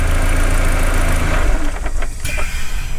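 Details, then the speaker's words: VW MK4 idling after fitting an ECS Tuning coil pack harness: steady, even low rumble with no misfire or stumble; idle goes funky only when a vacuum line is pulled. Normal idle. "you guys can hear that it's not misfiring it's not having a weird idol"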